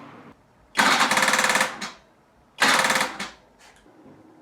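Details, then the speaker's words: 1974 BMW R90/6 motorcycle that hasn't run in years, tried on a borrowed car battery; two one-second bursts of rapid buzzing clatter, and the engine never turns over; the owner suspects the starter solenoid chattering without engaging, possibly from low voltage. "to me it sounds like the uh the starter solenoid is just jabbering away um without actually engaging"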